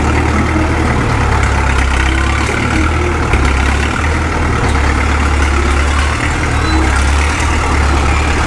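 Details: Caterpillar D2 #5J1113 diesel crawler after swapping the leaking number 3 injector for another: deep, steady, even low rumble with no misses or knocks, the intermittent pop gone; owner says it sounds better than ever.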